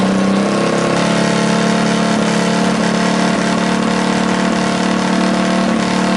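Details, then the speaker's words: Rebuilt Tillotson 212cc mini bike engine from a Mega Moto 212, with PZ22 carb and Tillotson 225 RS race cam, on first start after rebuild: fast, slightly uneven idle that wanders rather than settling; the carb idle seems to need adjusting. "all right I think we need to adjust the carb or the uh the idle just a little bit there"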